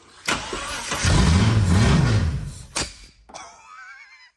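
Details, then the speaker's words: Holden VN Commodore 3.8 engine, started for the first time in seven years on brake cleaner with no fuel tank, using a jump pack; it cranks, catches and revs roughly for a couple of seconds with sharp popping backfires, then stops. "Small backfire."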